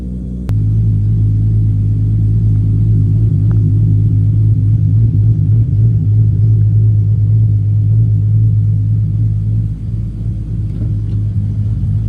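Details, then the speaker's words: 1994 Toyota Supra MkIV, 1251bhp, first start after a new fuel pump and fuel sock were fitted to fix fuel pressure issues: catches on the first crank and settles into a deep, even rumble with no misses. The engine is healthy. "let let's give it start up perfect yeah she's back baby wooo yes come on success"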